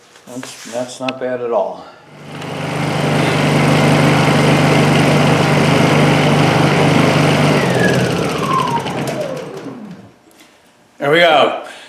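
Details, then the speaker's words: Honda EU2000i inverter generator after repair of a plugged exhaust with a new muffler and exhaust gasket. A steady, even hum holds firm under drill load, then winds down smoothly at shutdown: normal running under load. "should I plug something into it see if it actually uh generates as you can hear it pick up uh throttle up a little bit under the load of the drill not bad"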